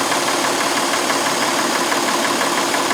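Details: 2004 Honda Pilot 3.5 V6 with flashing engine light and misfire codes on all six cylinders, cylinder 4 the culprit: rough, uneven idle stumbling about three times a second, traced to a loose injector connector terminal rather than a fouled plug.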